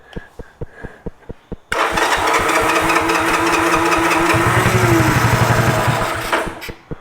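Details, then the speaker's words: 1986 Honda TRX 125 ATV with airbox off, choked, cranking: starter chugs about four times a second, briefly roars and sputters unevenly, drops back to cranking; carburetor contaminated with gunk from the tank, possibly water. "Something from the tank that was in there before. Water in it. Something. So, it's picking that up. That's why it's not firing up. It's just got some nasty nasty in there."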